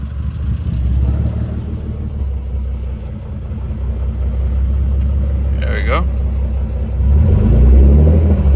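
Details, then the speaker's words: Nissan 300ZX (Z32), warmed up about a minute after fuel filter relocation, idle control valve removed: steady idle around 850–900 rpm with low even pulse, no knocks or misses; healthy idle. "now that we don't have the ID control valve the startup's a little rough but once it's once it's warmed up a little bit not even that long maybe like a minute or less uh the idol stays at about 900 800 I think"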